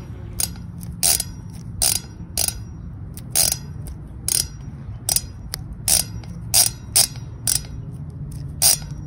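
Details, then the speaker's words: New bicycle wheelset hub fitted to fix a cassette that spun both ways: crisp, even ratcheting pawl clicks in quick spin bursts, and the hub locks one way; a normal, healthy freehub. "i want you guys to see how the hub like the new one sounds like and it looks like and it feels like it doesn't spin but wait it locks up"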